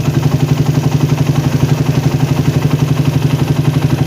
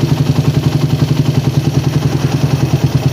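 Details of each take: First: Engine fitted with a PWK or PE carburettor, warmed but not fully hot, air screw closed until near stalling then opened slowly until idle rpm rises and stops rising: even, steady idle thumping about four beats a second; mixture set for the most stable idle. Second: Carburettor (PWK/PE) air-screw setting on a warmed-up single-cylinder engine at idle: screw turned in until low, lumpy idle sags and nearly stalls, then backed out slowly for the most stable idle.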